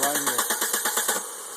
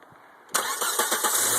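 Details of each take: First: 1995 Volvo 850 crank no start: starter cranks evenly about eight pulses a second, never catches, then stops; the failing fuel injection relay (gray, left of fan relay) isn't feeding fuel until tapped with key on. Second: 1995 Volvo 850 with a no-start fault traced to the fuel injection relay, cranked after tapping the relay: a few quick cranking beats, about four a second, then it catches cleanly and settles into a steady idle. Normal start.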